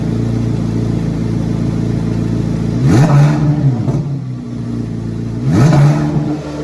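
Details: 2024 Carbon Flash Chevrolet C8 Corvette Z06 V8 cold start in a garage: deep, steady cold idle with two quick rev blips that climb and fall back cleanly; normal, healthy engine.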